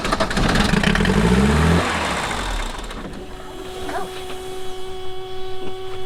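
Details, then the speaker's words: Mercedes 240D OM616 diesel that sat about 15 years with sludgy fuel: it starts and races up in revs on its own because the fuel rack is stuck wide open, then is choked off; diesel runaway. "See, it started to run away. Smells good, old diesel. So that's what we don't want."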